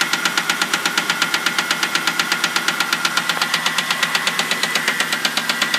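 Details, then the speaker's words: 2000 Crown Victoria started via bump switch on the solenoid after the key wouldn't crank it: sharp, even loud ticking about two a second over a steady idle; top-end tick, cause not yet found, small passenger-side leak seen. "now I'm going to use the bump switch to jump the solenoid and start it and you'll hear what it sounds like [Applause] it's recording [Music] so it's got a real loud tick"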